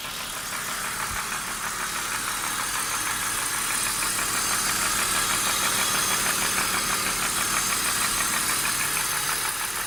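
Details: BMW E39 petrol engine idling with a steady, light knock about three times a second that goes away when the oil filler cap is lifted; cause unknown.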